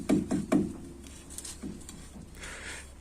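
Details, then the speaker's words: VAZ 2101 (Lada classic) front suspension, left front knock complaint: wheel rocked by hand gives three quick dull clunks about a fifth of a second apart; small axial play in the front hub's tapered bearings. "Осевой люфт практически отсутствует. Оно маленькое. Да, оно существует, но оно небольшое. Вот так оно и гремит. Это стандартная проблема для классического автомобиля."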